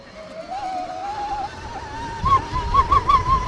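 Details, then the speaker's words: 2026 Tork Pro Sport electric dirt bike (72V 45Ah, 16 kW) spinning through sand: loud whistling howl climbing with speed over tyre and chassis noise; rider doesn't know the cause, thinks it might be louder in mode 3. "That's really loud. I don't really know what causes that. Next time we do that, I'm gonna go through it in 3, which it might just be louder."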